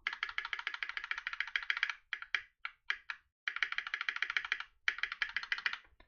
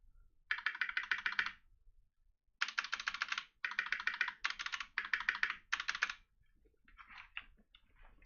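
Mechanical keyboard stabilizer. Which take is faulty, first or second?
second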